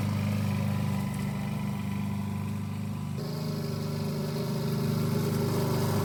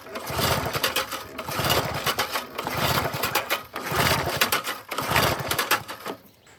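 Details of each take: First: 1988 Alco push mower, Briggs and Stratton auto-choke engine, after a non-start repair (diaphragm, a common issue), mowing cut-and-drop with the old blunt blade: steady buzzing single-cylinder beat that shifts slightly under grass load and runs cleanly; normal running. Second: 1988 Briggs & Stratton push mower with auto choke and no primer, fresh fuel in a dirty, sediment-laden tank: repeated rope pulls spin it but it never fires; lack of spark suspected, unconfirmed. No-start when pull-starting.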